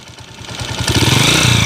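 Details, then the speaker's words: 2010 Honda TMX155 single-cylinder motorcycle at idle, before adjustment: loud, quick top-end ticking over the beat that grows louder as revs rise; noisy engine, recorded before the final adjustment. "Ito po yung andar mga kabro malagitik"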